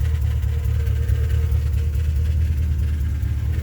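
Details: Pontiac G8 GT at idle: deep, uneven rumble with irregular dips and stumbles from a misfire, plus a sound from the muffler; cause unknown, owner seeking help.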